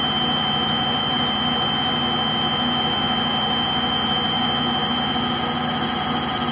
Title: Frigidaire Gallery Front Load Washer model GLTF1670AS1 Final Spin (Bad Motor Bearings) Video 2